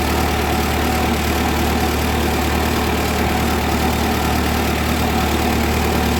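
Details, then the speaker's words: 1940 Ford 9N tractor, oil pressure steady at 55, pulling in second gear: steady, even low beat with no knocks or misses. The engine just purrs; healthy. "there we go we're going second gear this engine just purrs"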